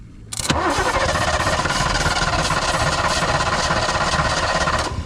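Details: 1986 Fox Body Mustang 302 five-speed sat 15+ years, starting fluid sprayed on throttle body: steady starter cranking about three turns a second for four seconds, never catches; crank no-start, suspected missing spark plug wires.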